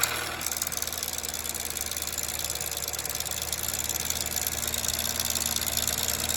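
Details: 2007 Chevrolet Cobalt 2.2 Ecotec with a broken timing chain guide, tensioner or chain also suspected, at idle: light, fast, bright metallic rattle over a steady idle. Timing chain rattle.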